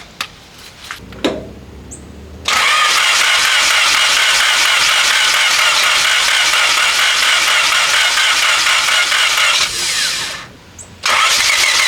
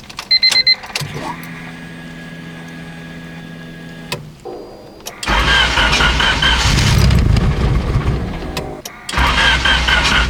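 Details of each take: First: 1997 Honda Civic EX coupe, built turbo D16Z6, after cooling-system work: starts into a rough, uneven, wavering idle; moving the coil-on-plug wires changes how it runs. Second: Turbo Honda D-series after overheating fix (block guard, thermostat, coil-on-plug pins repaired), running water without coolant: starter spins a few seconds, engine catches into a loud steady idle with no misses; temperature at 182 while idling, fan cycling normally.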